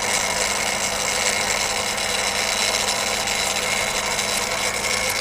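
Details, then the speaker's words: Refurbished Daiwa DR-7500 rotator on a DC-7011 controller, turning back to park at north after the limit-switch test: even, steady gear whir with no grinding, clicks or catches; motor and gears turning normally. "the limit switches take over which is a good thing and their limit shooters are taking over so what we do you can't burn the motor out"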